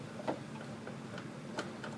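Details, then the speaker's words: Riding lawnmower steering, hard to return to straight after a hard right: sharp irregular popping clicks as the wheel turns; small pinion travels and skips across the sector gear teeth due to a worn bushing. "Now watch when I turn the wheel and uh listen for that popping sound we heard before."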